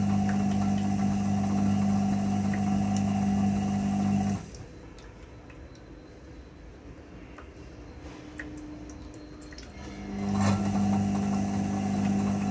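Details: IFB front-load washing machine during spin: steady droning hum with a fast, regular beat about four per second that fades midway, then returns; unusual spin noise, cause unclear.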